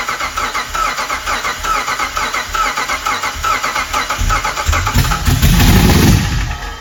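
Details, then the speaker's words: Cammed 5.7 Hemi Jeep Grand Cherokee after cam install, with cam timing believed off by one tooth: uneven, lumpy cranking at three to four pulses a second, some strokes weaker, never catching; a slung pushrod suspected of causing no compression on one cylinder. "slung push rod will act like it's got no compression on cylinder too."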